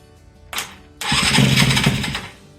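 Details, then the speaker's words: 1983 Yamaha CV80 80cc two-stroke, flea-market find; carburetor and tank empty, fired on starting spray. Coughs once, catches about a second and a half, then dies: runs only on spray, no fuel supply. "well look at there and it sounded good you know I'm going to hook a little fuel to that let's see if it actually runs on fuel since that carburetor was empty"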